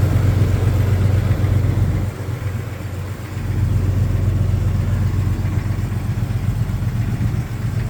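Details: 1999 Jeep XJ Cherokee at cold start idle: low rhythmic knocking about four beats a second under the rumble, briefly dipping then steadying; owner suspects piston slap.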